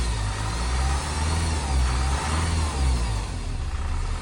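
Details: 2007 Honda CR-V RE6 2.2 i-CTDi diesel after OEM timing chain kit replacement, done twice: steady run with thin constant high whine over low rumble; belt-driven accessories ruled out, vacuum pump and upper cam gears remain original; source unconfirmed.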